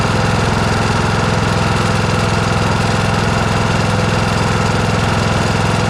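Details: John Deere S100 riding mower after its annual service (oil and filter changed, parking brake set): single-cylinder engine with an even steady thump, no knocks, misses or surging. A healthy, smooth run.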